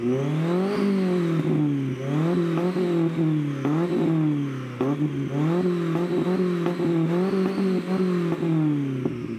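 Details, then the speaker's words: Toyota Corolla 2E petrol four with a push-button ignition cut/anti-lag wired through a relay: repeated rev-ups dropping back with sharp crackles and pops as the ignition cuts, running slightly rich with black smoke; needs slight tuning. "So fully ignition cut, and then if I pull that, it's gonna cut it. So it'll be open, normal, running, press it, it cuts it."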